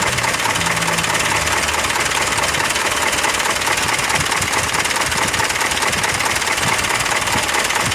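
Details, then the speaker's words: Mitsubishi Fuso Canter HD125PS diesel truck, weak and limping: hard clatter with an uneven beat about twice a second. Cracking the injector lines showed no rpm change on nozzle 1, which was clogged; nozzles 2–4 normal; Bosch pump supply fine. "Ini keluarnya mesin pincang, guys. Mau kita cek dulu di boss pomnya ya. Getar kayak ada yang telat suplai solarnya ya. Kayak pincang-pincang."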